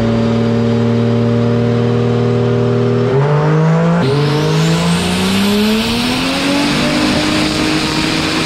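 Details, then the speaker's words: 2JZ-swapped Toyota 4Runner with new fuel system and mechanical fuel pump, dyno full-load pull under boost: note climbs then turns ragged near the top; suspected running fat or plugs, plugs then changed; high-rpm misfire under boost. "It's still running fat too, I bet. I wonder if the plugs are... Let's change them. You got them. You hear it starting to break up at the top."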